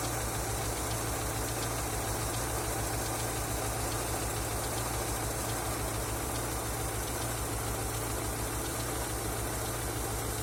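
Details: Engine knocking after an oil change: steady idle with a dull, fairly regular knock just over once a second on the engine note; source unclear, oil level and pressure worth checking.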